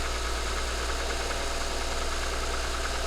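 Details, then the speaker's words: 2010 Toyota Highlander that sat a long time with a no-start, running on a replacement battery: smooth, steady idle with an even low hum and no knocks or whine; alternator then measured charging at 14.41 V; normal. "okay so it runs next thing to check is the alternator"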